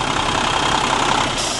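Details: 1999 Freightliner FLD112 day cab, Cummins ISM diesel, 10-speed, low mileage: steady diesel clatter at even idle, no knocks, misses or surging, clean oil and zero blow-by; idling normally.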